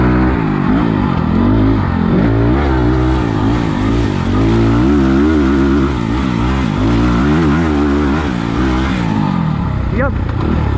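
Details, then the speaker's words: 2020 SSR Motorsports SR300 single-cylinder dirt bike with Lectron carburetor, riding muddy trail: thump pulls cleanly as revs rise and fall on throttle, no stumbles or misses; normal running under load, far better than stock carb. "come on lundy dirtbags this carburetor is so much better [Music] 100 better you guys can probably hear"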